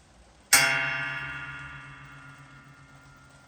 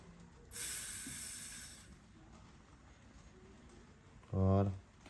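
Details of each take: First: Hydraulic jack during an oil change and air purge: a single sharp metallic twang ringing down over about three seconds, from the return spring, which has always done this. Normal. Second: Hydraulic jack low on oil with air mixed in, after oil loss: bleed valve left open while refilling and pumping oil, a short hiss rising and fading as trapped air escapes, then a brief low burst; problem resolved.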